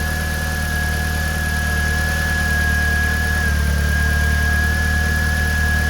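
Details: 2000 VW Golf Mk4 GTI 1.8T AGU turbo petrol idling steadily and evenly with a faint high whine over low hum. Normal idle after replacing the failed ignition amplifier that had caused a severe misfire.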